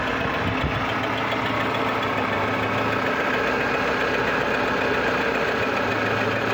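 Steady idle with a faint regular knock riding over it, even and unchanging throughout; some internal knock, cause not pinned down.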